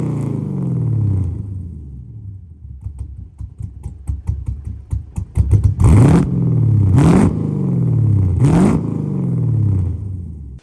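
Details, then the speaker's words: Lexus IS300 with LS V8 swap, first start, not yet tuned: lumpy idle, and each throttle blip stumbles and crackles before catching; bogging and breaking up on rev, owner expects a tune to fix it. "I don't know if you guys could hear it. It wants to bog out, and every time we try to rev it up, it kind of breaks up a bit."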